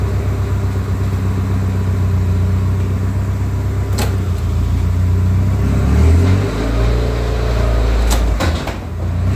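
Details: Newly assembled 5SGTE Beams engine in a Toyota Celica GT-Four ST185 rally car, first running: smooth, steady low running with a clean rise and fall when revved near the end, no knocks or rattles. Oil pressure is healthy; a healthy engine.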